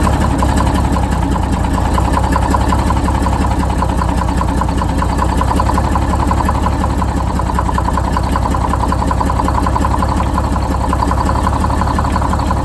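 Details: Detroit Diesel 6-71 idling after first start following new 4-valve head install and Davco 382 fuel filter; even, buzzy two-stroke idle with fast steady beat, no stumbles or knocks; oil pressure good, small governor oil leak from missing bolt.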